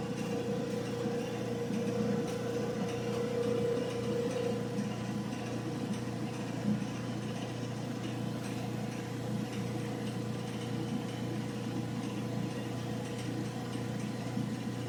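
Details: Old General Electric gas dryer, previously not heating, running after repair with burner lit; even steady drum hum and low drone with no knocks, squeals or scraping, heating normally.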